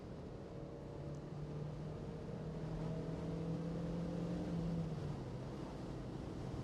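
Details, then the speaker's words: Mazda MX5 NC (Copart car), recorded in cabin with windows up, pulling after a downshift to 60 mph: smooth even note rising steadily under road hum, no misses or knocks; runs healthy. "we're at 60 M hour now and it's doing great it's really doing good"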